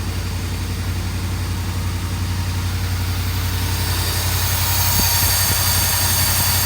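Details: 1982 Mercedes 380SL: steady, quick, even engine beat at 1500 rpm that never drops to a low idle; high idle, idle speed control module suspected.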